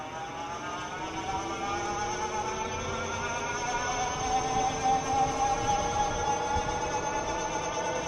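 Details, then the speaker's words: Older Euphree Stellar Falcon e-bike on throttle, microphone on rider's chest, reaching about 24 mph: clear steady hub motor whine climbing gradually with speed over light wind; normal though fairly loud motor noise. "All right, I think that's pretty representative of what the motor sounds like. Obviously, you can hear the motor quite a bit."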